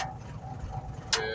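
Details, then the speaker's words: Mitsubishi lorry with over 2 million km; after repairing wiring and a broken fuse that caused a two-week starting issue, it starts and holds a steady diesel idle without stumbling, a few sharp clatters in the background; problem fixed. "Okay. Yes, it starts. So, problem is fixed."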